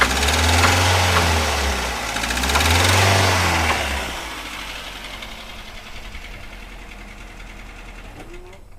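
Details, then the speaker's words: Daihatsu Xenia 1300 cc (XI) engine that ran out of oil from an unrepaired leak after an oil change about 10 days earlier; two revs bring heavy, rough knocking that grows louder under throttle, damaged bearings from oil starvation, engine must be dismantled. "Oke, mobil Xenia ini suaranya udah parah banget, jadi mau ndak mau harus kita bongkar."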